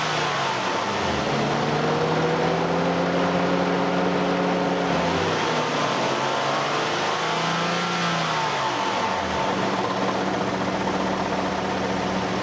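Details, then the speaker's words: Nissan Elgrand E51 (ME51, 2008, 2.5L, about 90,000 km): a steady engine drone with tones sweeping up and down as revs change. The extra noise appears only with the AC compressor on, from about 2000–2500 rpm, and has lasted about 3 years; its cause is unclear. "エアコンをオンにすると、2500回転あたりから変な音がします。"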